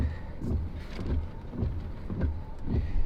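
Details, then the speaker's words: Salvage auction car cranked on a 12 V supply. The starter spins quickly and evenly at about two beats a second with no compression strokes or firing; suspected no compression or a broken timing chain. "good that sounds like no compression or a broken timing chain huh boy"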